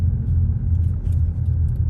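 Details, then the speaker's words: BMW E39 M5 after a third Walbro 450 fuel pump install: low rumble surges and sags unevenly as it loses fuel, running only about 10 seconds before cutting out; re-priming the pump restarts it briefly; engine cutting out. "Has it died again? Yep. Oh, that's it. No, and I tried to run it."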